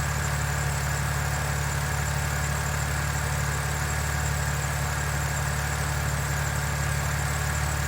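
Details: BMW N52 engine at idle, still no lifter ticking after 2700 km; smooth even low hum with no tapping on top, lifters quiet and engine healthy.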